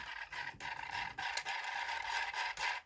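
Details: Vivitar AeroView drone motor after a flight: a rapid high squeak pulsing with the motor, choppy and uneven as it spins. The cause is unclear, possibly parts inside the motor.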